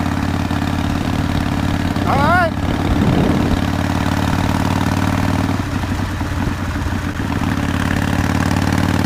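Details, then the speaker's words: 2005 Harley-Davidson CVO Fat Boy after replacing a stripped clutch hub, the clutch and the bearing, around a test ride around the block; low even loping V-twin idle with no clutch rattle or knocking. Shifted into neutral fine, and the bike sounds healthy. "i'm gonna take her around the block let's hope we survive it's definitely working better than it was when i pulled it in"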